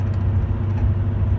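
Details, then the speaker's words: Vehicle driven at highway speed then slowed to 45–50 mph: deep, steady droning rumble with no sharp clicks; left bearing gets louder in right turns, right bearing in left turns; wheel bearing noise. "It's the left side, and you take a right-hand turn, it should get louder. If it's the right side, and you take a left-hand turn, chances are it's the right side."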